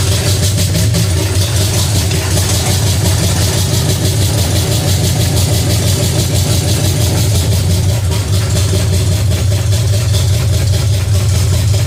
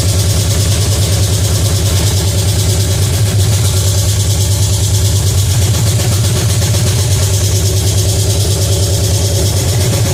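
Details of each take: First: Pontiac 350 V8 in a 1950 Pontiac gasser with 6-speed, headers refitted, idling after the motor plugs were changed and idle screw adjusted: steady, even low beat, no misses or knocks; normal idle, runs better with a rigged coil wire. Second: Pontiac 350 V8 in a '50 Pontiac gasser, first fire-up, timing at about 8 degrees: fast, steady idle with an even lope that won't settle; high idle because the choke is not connected.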